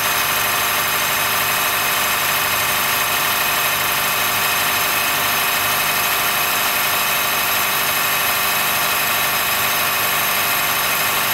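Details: 2013 Honda Fit Hybrid (FIT3, DAA-GP5, L Package) in cold weather below about 10°C; thin scratchy high squeal and creak over a steady idle. It stops once warmed up; dealer saw no warnings, judged it harmless; source not obvious.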